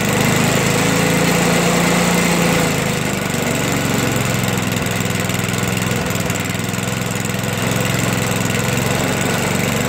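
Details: Toro 421 snowblower, unstarted for about 2 years, after cold start with fuel valve on: small single-cylinder running at a steady, even pace, no hunting or misfires; normal running.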